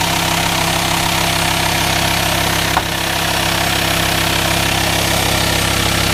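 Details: VW Transporter T5 LWB T32 2.5 diesel 6-speed camper conversion, 1500 miles since purchase, no aux belt: idle rattle under a strong constant airy hiss in the engine bay, suspected vacuum leak, unconfirmed.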